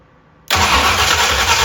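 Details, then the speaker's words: 1965 Ford Thunderbird FE 390 V8, with fuel being primed by sucking on the tank line, is cranked. After silence the starter spins with a steady rough churn that never catches, because fuel isn't reaching the carburetor yet. "doesn't seem to want to come the rest of the way okay let me think figured this would be like really easy"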